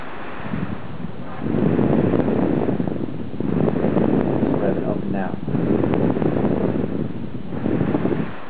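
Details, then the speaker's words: Dell XPS 15 L502X laptop under light use (web browsing, typing), not running hot: fan noise keeps swelling and fading every second or two, never settling; fan speed surging. Owner suspects Dell GPU drivers or power/GPU mode settings. "know if you can hear that or not but it was revving up and down and that's all it freaking does is rev up and down up and down it's just ridiculous"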